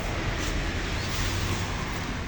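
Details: Suzuki Katana (Jimny) with AC extra fan rewired as radiator fan via 65°C thermo switch, engine running: steady, even rushing whoosh with no ticking, rubbing or wobble; electric fan runs smooth.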